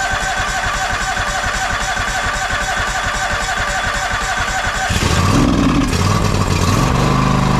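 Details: John Deere X540 with a Kawasaki FD731V engine that cut out after 15–20 minutes, after fixing fuel delivery and ultrasonically cleaning the carburetor: steady, even twin-cylinder beat, then smooth higher speed without surging; runs normally.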